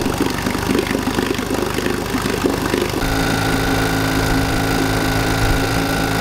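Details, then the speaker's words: Earlier recording of a 1952 Johnson Sea Horse 5 hp (model TN-28) twin outboard, revived after sitting 50 years: slow, lumpy, uneven firing at about three to four beats a second, running on only one cylinder. "so what did papi from the keys and jacques poirier hear that they knew it was running on one cylinder here it is previously"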